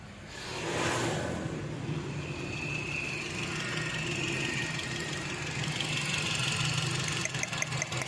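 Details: Toyota XLi petrol engine with code P0354, wiring suspected: idling with a slightly uneven, stumbling beat; intermittent misfire at idle.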